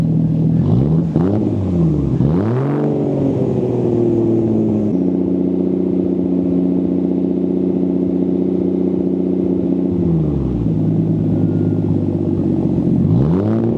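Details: Nissan 240SX S13 with swapped RB20DET, big turbo install, after loosening an overtightened belt that had caused a supercharger-like whine: engine blips, holds revs, drops back cleanly, much quieter, injectors audible, no ticking; healthy.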